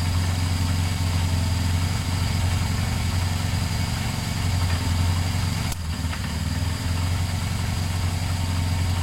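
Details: Motorcycle started after a detached second battery earth wire was refitted: a steady, even low idle with a smooth regular beat and no misses or knocks, idling normally.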